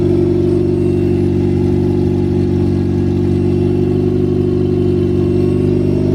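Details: Nissan B13 Sentra, freshly rebuilt GA16DE on first start: steady, even hum at a fast idle with a smooth, regular beat and no ticks or knocks; runs cleanly.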